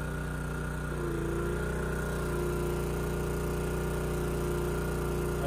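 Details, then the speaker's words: Honda EG2200X generator, early-to-mid 1990s, at no load, choke off, starts easily: steady drone with slightly uneven, wavering beat, choking made no difference; runs rich and rough, later traced to an over-gapped spark plug. "so started really easy and I was able to turn the choke off you know it's not running perfectly and you know I started to choke it a little see if that made a difference and it didn't"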